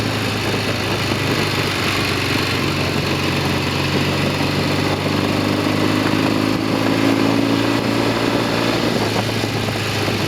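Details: Norton Commando 750 on a road test after rear wheel repair, with two Amal float bowls now fitted; steady twin engine note under wind rush, and the earlier rear-wheel clunks are gone: normal running.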